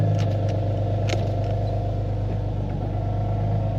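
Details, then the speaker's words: Cold-start idle on a VQ37 fitted with ISR high-flow cats: a deep steady drone with faint irregular puffing ticks underneath, from an exhaust leak, likely at a leaking converter joint; the cats are being replaced. "Yeah, so I have an exhaust leak on this."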